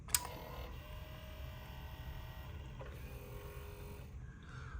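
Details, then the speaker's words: Yaesu FL-7000 linear amplifier after 7812 regulator replacement and processor reset fix: short whirring tuner motor runs with a faint steady tone, stopping and starting cleanly as bands change; tuner drive works normally. "I can change bands. All that works. You can hear these guys moving around."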